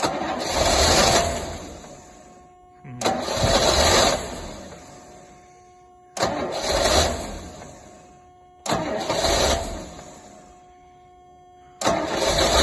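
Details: Rolls Royce Silver Shadow in freezing weather, fuel pump rebuilt, plugs just changed: starter whirs about two seconds per try over four or five attempts, never fires. Cranks but won't start; owner suspects the carburetor is next.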